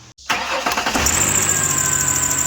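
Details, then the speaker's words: 2006 Ford Explorer 4.0 SOHC right after start-up: shrill, steady high-pitched screech over the idle, worse when accelerating. Belt-drive squeal; owner suspects the AC compressor pulley, unconfirmed. Drive belt, tensioner and idler pulley were later replaced. "and uh i'm thinking is that the wheel the pulley that is used by the belt uh to rotate that pulley went bad on the ac compressor"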